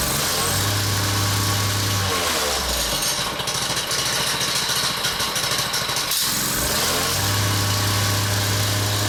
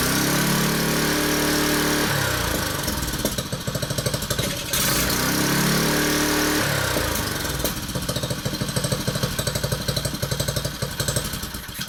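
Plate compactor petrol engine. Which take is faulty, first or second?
first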